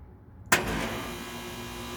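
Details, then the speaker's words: AC unit after a thermostat off/on reset: a single click, then a smooth, even hum with no loud rattle or roar; compressor running normally, unlike the earlier obnoxious loud noise. "Now that's what it's supposed to sound like. Previously, I was yelling to hear myself over the machine. Now it sounds like it's supposed to after a reset."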